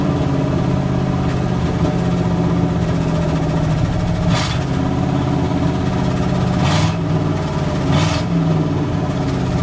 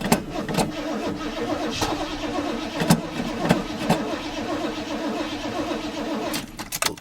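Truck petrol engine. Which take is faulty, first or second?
second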